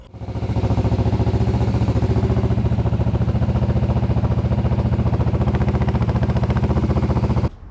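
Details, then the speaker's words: 1981 Yamaha XS400 Special twin after carburetor float rework and idle screw adjustment: revs crisply and holds an even steady beat with no popping; side that idle-popped now fixed, clean carburetion. "It revs nice and snappy. It no longer just idle pops on that side."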